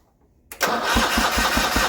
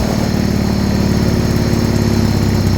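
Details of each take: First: Original 1980 John Deere 317 garden tractor, unrun about three years after an electrical fault, cranking on a new battery: the starter turns it over at about five beats a second but it never fires; cause unconfirmed. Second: Original 1980 John Deere 317, first start after about three years unused, tank pressurized to feed the pump and carb, started with choke and a little throttle: settles into a steady, even low chug, no misses, knocks or hunting. Normal idle.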